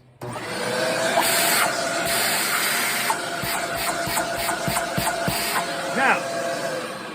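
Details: Shark vacuum suction diagnosis, with the handle released to check for suction at that point. A steady motor hum holds an even pitch throughout with no surging or choking; suction is normal, no blockage.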